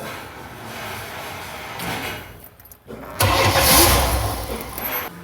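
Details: 1995 Chevy Astro 4.3L no-start with a new fuel pump: the relay got no power from the computer, so the pump was fed directly, giving about 62–64 psi. A few seconds of cranking, then it catches and settles into a rough idle with a slight misfire.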